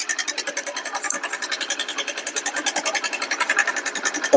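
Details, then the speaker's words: Hero Splendor Plus engine idling, mic held at the cylinder head: sharp, even ticking about nine times a second. The exhaust valve tappet adjustment screw loosens again after clearance is set, causing excess clearance, loud tappet noise and reduced pickup; the inlet valve is fine. "ஆனா noise மட்டும் பயங்கரமா இருக்கும். ஓட்டுறதுக்கே நம்மளுக்கு தோணாது."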